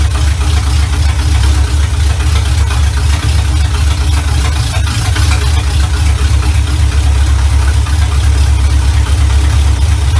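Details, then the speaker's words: 1970 Chevy Impala V8, first run in 4 years right after fitting a new carburetor, ignition advance not yet capped: deep even burble at idle, no stumbling, hunting or misses; runs much better than old carburetor, normal idle. "okay that runs so much better than my old carburetor like i don't know if you guys can tell that that much but it runs so much better"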